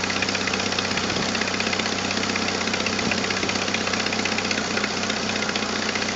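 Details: 1997 Jeep Wrangler TJ 2.5L at a harsh idle, before repair, with fast sharp ticking at about four a second tied to firing. Exhaust manifold leak from a leaking gasket and missing stud; fixed with a new gasket, a new stud and a 4.0L throttle body.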